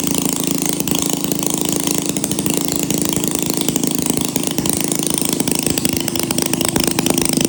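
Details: 1937 Maytag Model 92 single-cylinder two-stroke engine running: fast, steady popping beat runs evenly without misses or surging.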